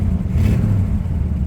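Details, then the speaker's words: 1967 Pontiac Tempest 2-door post with a V8 and 400 transmission: a deep, even V8 rumble swelling smoothly as it is revved, with no knocks, misses or rattles, the car running great. "car runs great."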